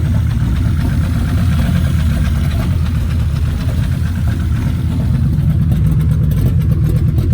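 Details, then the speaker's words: Volvo 850 after an engine rebuild and reinstallation, at its first fire-up. Steady low rumble with an even firing beat and no knocks or ticks. Normal running. "So guys, I got it fired up and I'm literally so ecstatic. I cannot believe, well now I can believe, I'm just so excited that it fired up."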